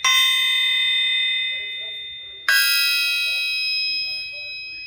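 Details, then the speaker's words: Old, raggedy 454 crankshaft in for service and due for grinding and polishing: two light hammer taps, each leaving a clear, high bell-like ring that fades slowly. A sound crank with no cracks. "Look how long that held that tone. Even this old crank."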